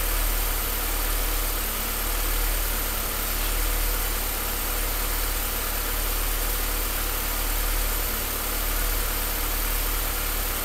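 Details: Engine idling low and steady with a slightly uneven, loping pulse and a faint shake underneath: rough idle, cause not evident.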